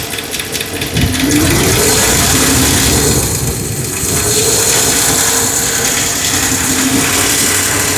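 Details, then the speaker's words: 2009 Dodge Ram 1500 4x4 with 5.7 Hemi V8, ticking since its rebuild: a quick rev settles to idle with a light, fast, steady tick, loudest at idle, with the microphone on the brake line. Suspected left-side valvetrain. "So it seems that the noise is loudest at an idle."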